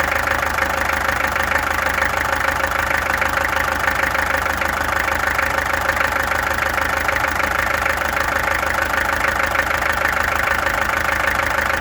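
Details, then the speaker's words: Peugeot XD2 diesel engine clattering at idle with a lumpy beat about three times a second; owner suspects a misfire, and the injectors were then removed, tested and adjusted. Cause unconfirmed. "This thing has a misfire, I think. That's why I ended last time."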